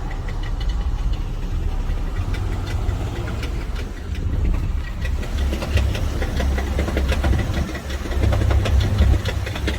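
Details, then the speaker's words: Chrysler minivan heard from an adjacent car: uneven crunchy knocking, about three to four knocks a second, over a low idle rumble; suspected drivetrain fault near the flexplate, not confirmed. "I can hear crunchy noise while it's sitting there idling. is the noise really loud."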